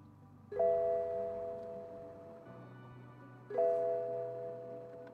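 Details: 2016 BMW F30 in hot cabin, key cycling during scan-tool session with A/C off: clear two-tone chime twice, about three seconds apart; warning alert.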